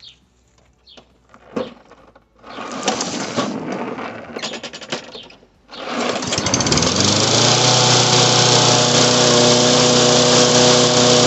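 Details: Toro lawn mower started after a carburetor replacement and a new air filter: a few pulls, then the engine catches and climbs to a steady, smooth high buzz that holds even. It runs healthy.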